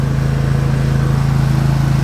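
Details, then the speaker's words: Lawnmower that sat all winter with battery sitting out, starts right up on the key: steady, even low putter with a smooth regular beat, no misses or knocks; normal running. "Been sitting all frickin' winter. Battery's sitting out all winter. And hit the key and it starts right up."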